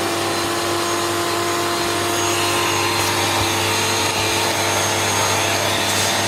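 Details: Hoover Turbomaster U5094 upright vacuum after refurbishment, brush roll off: loud, steady, even motor roar, no grinding, rattle or wavering pitch. Both motor bearings had been seized, fancase one spinning on the armature shaft; now smooth and healthy.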